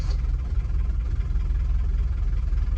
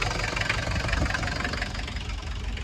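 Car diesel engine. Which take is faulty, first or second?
first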